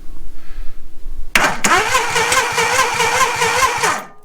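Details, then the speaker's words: 1987 Suzuki Samurai with badly faulty wiring, whose engine previously seized from lack of oil: even starter cranking for nearly three seconds with no firing despite 12 V at the coil. The owner suspects the distributor cap. "So it's the distributor cap, I believe, is the problem here."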